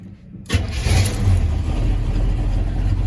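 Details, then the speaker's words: 1978 GMC C25 squarebody, carbureted, in cold weather, started right after switching fuel tanks without touching the gas. The engine catches instantly and settles into a steady, even rumble; a normal cold start, though the owner suspects bad gas may make it die. "I didn't even pat the gas, y'all. I didn't even pat the gas. And this junk turned right on."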